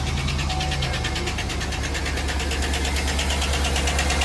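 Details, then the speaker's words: Chevy Suburban V8 at idle, possibly around 250,000 miles, Lucas additive added: quick, even light ticking about three a second from the top end on one bank; judged a lifter tick, not rod or bearing knock. "it sounds like a lifter tick okay cuz you can tell it's not rod knock or bearing knock because it emanates from one side of the motor and it's not in the bottom it sounds like it's the top"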